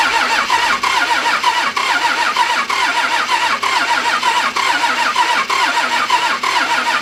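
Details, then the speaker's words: 1997 Dodge 12-valve Cummins, manual, wrecked front end, run without coolant: a steady ticking knock about once a second over the clatter right after start-up, fan out of balance striking something; rhythmic knock. "ah sounds like the fans touching something it's way out of balance it's definitely hit something but it actually started really freaking good that's a 12 valve cummins for you right there"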